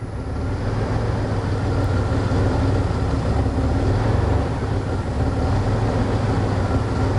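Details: 2001 Dodge Ram 1500 5.2L V8: deep idle that shakes, wavers and surges unevenly; MAP sensor reading extremely low voltage (P0107), suspected bad and replaced.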